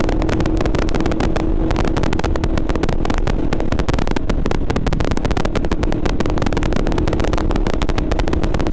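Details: GoPro Hero 8 recording: dense, rapid crackling and clicking throughout over steady vehicle noise, coming from the camera's own audio; cause unclear.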